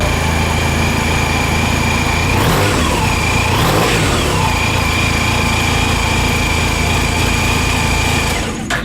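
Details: 2013 Honda Silver Wing ABS scooter with only 10 miles: a smooth, steady idle with an even beat and a constant light whine throughout, no ticks or rattles; a healthy engine.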